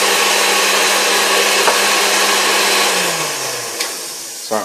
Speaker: you can tell, this thing runs like new. I mean, it's a great running machine.